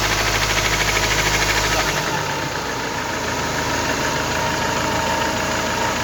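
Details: Ford Transit 2.4 diesel (PHFA engine): rough, rapid knocking that carries through as the engine revs under acceleration; cause unknown.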